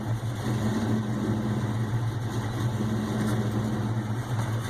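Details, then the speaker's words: Ford Mustang GT 4.6 V8 first start with Trick Flow stage 2 cams, untuned and cold, supercharger not yet hooked up, BBK long tubes and X-pipe: deep uneven loping idle that surges and hunts, then stalls. "Yeah, you can see it's, not tuned, so it's surging a little bit, but it's got some lope to her."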